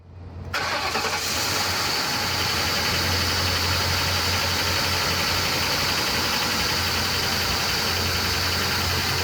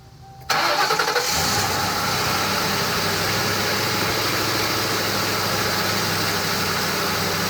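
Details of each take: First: Ford Crown Victoria Police Interceptor (P71) V8 on startup: settles into a rough idle with a steady knock about four beats a second, the dreaded engine knock, unlike a healthy engine. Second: Crown Victoria Police Interceptor V8 starting: brief crank, clean catch and smooth steady idle with no knock, a healthy normal engine for comparison against engine knock.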